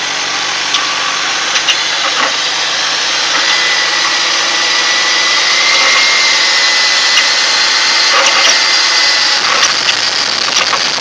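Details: 2000 BMW 323Ci idling: hissy airy sound, faint high whistle and light ticking; weird engine noise, cause unknown.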